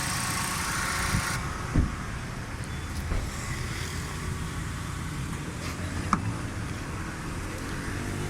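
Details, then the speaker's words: 2005 Toyota Corolla XLi idling with AC on, after throttle body service, stuck choke sensor valve freed and worn spark plugs replaced: steady even low idle rumble, no misses, hunting or knocks; normal idle. "AC भी चल रहा है गाड़ी का, देखें आप। गाड़ी steel है माशाल्लाह ज़बरदस्त है।"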